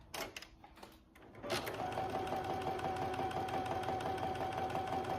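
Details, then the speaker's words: Home sewing machine after first servicing and oiling, including the bobbin area: after the pedal goes down, a quick, even patter of needle strokes with no catching or clatter; runs smooth. "Wow, that's so smooth, yay. I think that's probably good."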